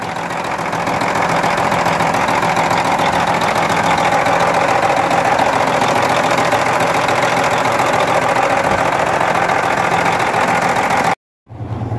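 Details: Volvo VNL 780 truck diesel, just started after driving 670 km, idling: steady, fairly regular knock about three and a half per second over the engine note; knock appeared suddenly about five minutes earlier while driving, cause undetermined.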